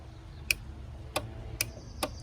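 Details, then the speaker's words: Nissan 300ZX Z32 automatic-to-manual swap, starter relay bench-tested by powering one side and tapping the white/brown wires to ground: four crisp clicks about half a second apart; normal relay click. "Basically those two small wires, the white one and the brown one, this just fires that relay. And you can see here, if I've got one side wired into power, the other side I tap onto ground."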